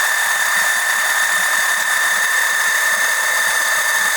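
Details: Electric oil transfer pump extracting oil during an oil change on an OMC 140 boat engine: steady high-pitched hum with a thin whine near 2 kHz, even and unchanging; pumping normally.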